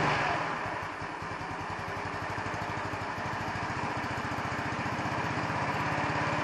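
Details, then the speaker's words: 150cc Chinese scooter with electronic choke; small single putters at idle, beat wavers and hesitates, rear wheel not spinning; uneven idle, owner suspects idle mixture setting, not confirmed. "it sounds kind of okay but my ear is not trained i don't know if the idle sounds proper"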